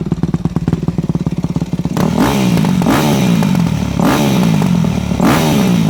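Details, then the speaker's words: Four-stroke MX bike with a Keihin FCR-MX carburetor, such as a YZ250F or YZ450F: uneven idle with exhaust popping, then repeated revs, because the pilot fuel screw is set too lean, making it hard to start. "did you hear how much popping and carrying on i would call it coming out of the exhaust was occurring that means your fuel screw was adjusted too lean"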